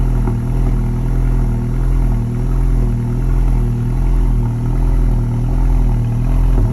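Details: 2019 VW MK7 GLI, Stage 2 ECU/DSG tune, catted downpipe, intake, intercooler, cat-back exhaust: after cold start revs 1900-2000 then 1100; nearly warmed up, low idle surges gently up and down, as if revving.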